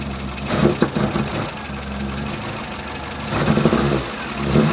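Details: Morris Minor petrol engine just after fitting new ignition leads, distributor cap and rotor arm: catches and settles into a steady, even idle with light throttle blips, firing cleanly on all cylinders.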